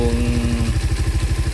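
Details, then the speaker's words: Raider 150 Fi on a stock ECU taken from another motorcycle, warm engine: even, quick pulsing idle with no hunting or stumble, engine not straining; healthy, steady idle. "Ang ganda yung minor ng makina mo. Ayan, steady kita mo naman, steady yan. Steady yung minor niya."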